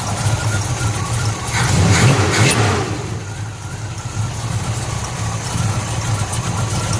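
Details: 1970 Pontiac LeMans, rebuilt 455 bored to 461, 6X heads, Quadrajet carb, after installing an MSD 6AL-2 ignition box: engine catches, swells briefly, then settles to a steady, even V8 idle with no misfire; normal idle.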